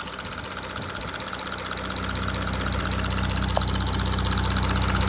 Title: 2017 Audi A5 3.0 tdi Quattro 218ps chain tensioner fail ? Ticking sound !